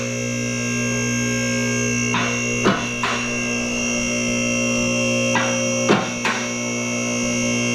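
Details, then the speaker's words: BendPak 2-post lift raising a van: steady pump drone with the lock clunks landing in staggered pairs instead of together. After use the cables have stretched back out, so the posts hit the stops out of timing and the cables need readjusting. "I need to adjust my cables a little bit more again. They're now that I've been using it a little bit, they're back out. It's a little bit out of timing again on hitting the stops."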